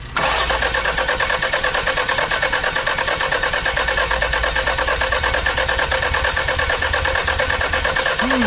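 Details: 1991 Toyota Celica that would not run after a timing belt job, cranked with the clutch pushed in: steady rhythmic starter cranking for several seconds without catching; a failed charge temperature sensor was found and weak spark is suspected; crank, no start.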